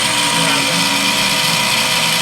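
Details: Hoshizaki KM630MRE ice machine from 2009, R22, with a noisy water pump: loud harsh grinding whir from worn pump motor bearings; the technician checks that the evaporator plates have not separated before replacing the pump.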